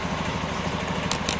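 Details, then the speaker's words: Honda Beat FI ESP injection automatic scooter at idle, owner reports weak sluggish pull and rear vibration: fast uneven thrumming with coarse rattly edge from belt drive side, louder closer to the CVT; worn front pulley roller housing and rollers. "Semakin Dekat Semakin kenceng suaranya tapi kayak kerak rockmongo angin ngotot kocoklah bebas tambah otot menurut IDC tetaplah bagian CVT yang bermasalah"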